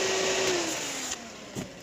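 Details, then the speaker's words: Used 2019 Robinair A/C recovery machine that clicks but does not recover, run in recover mode: the steady fan hum sags in pitch at each relay click, suggesting excess current draw, not yet confirmed. Fan slows when the compressor engages. "where the fan gets loaded when it clicks so that's a red flag right there so that means that there's more of an amp draw than what should be there"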